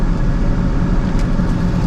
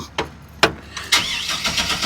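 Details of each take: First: 2003 GMC Sierra V8: fires up immediately, low even idle with a steady rumble and no misses, knocks or belt chirp; normal idle, confirming the starting trouble was just a battery issue. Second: 2003 GMC Sierra, off the road since 2022 registration, on a newly hooked-up battery: long stretch of uneven cranking pulses before it stumbles and catches; hard start, cause suspected not confirmed.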